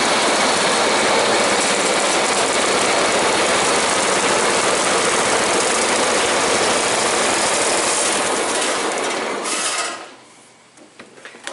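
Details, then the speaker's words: Engine running after refitting a tensioner spring that had popped off: steady, even run at constant speed with a faint light rattle on top; running healthy. "So that's running really good, as any other cooler should."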